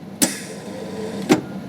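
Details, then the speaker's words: Clarke MIG welder with a Euro torch, switched on with its fan running, trigger pulled: a sharp click, about a second of steady low wire-feed motor hum over the fan, then another click; the wire feed drives smoothly. "I'll turn it on, fan will kick in, there's the fan, and when I pull my trigger,"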